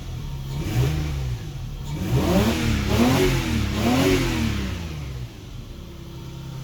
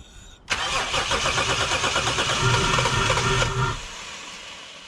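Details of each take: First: Lexus GS300, 2JZ-GE, after replacing the leaky ECU capacitors: several quick blips rise and fall smoothly, then it settles to a steady low idle. It is healthy and runs better than before. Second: Lexus GS300, 2JZ-GE, crank-no-start, cranked with starting fluid sprayed into the disconnected brake booster line: fitful firing that never catches. Ignition is present, so no fuel delivery; the cause was a faulty ECU with leaky capacitors.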